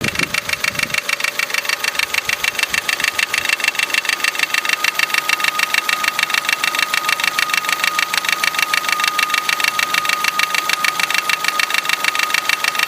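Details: Opel Astra H Z16XEP engine at idle, diesel-like sound: sharp even metallic clatter about three times a second; timing belt tensioner not replaced at belt change vibrates and slaps the engine block.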